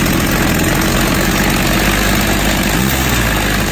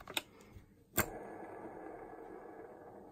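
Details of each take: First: Stihl MS 270 chainsaw after a new cylinder and piston kit, bearings, seals and needle cage, running in on rich oil mix; crisp two-stroke buzz revving up and dropping back cleanly with even throttle response; probably no adjustment needed yet. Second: Stihl MS 270 chainsaw crankshaft removed, main bearings spun by hand: the flywheel-side bearing gives a dry, gritty whir, the other is better but still rough; both bearings and seals to be replaced.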